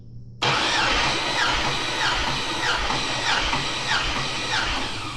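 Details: 6.2 LS engine bought on Marketplace, compression test. Cylinder 5 cranks at an even pace with steady, regular compression strokes and reads about 220 psi; good compression.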